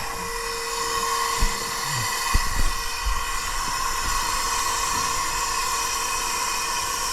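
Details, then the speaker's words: 2012 Western Star log truck diesel running: constant high airy hiss not following the engine, air leaking at the fan clutch, which is junk and being replaced. "All right, cruise. Yeah, I hear something going on here. Where's the air?"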